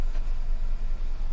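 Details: 2018 Hyundai Venue petrol at idle, rough with an occasional dip and light shaking and steering vibration; codes P0203 and P0303, cylinder 3 misfire because the injector wiring was cut, apparently by rats.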